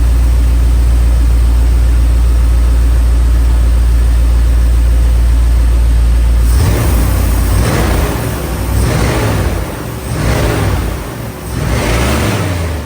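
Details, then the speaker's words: 1992 Chevrolet Silverado TBI V8 after K&N cold air intake install: deep steady rumble, then several clean throttle blips rising and falling smoothly; owner feels better acceleration; normal idle and revving. "he I can say right now I feel a way better acceleration it feel like it got a little bit more [Applause] power that's how she's looking right now she sound good look good"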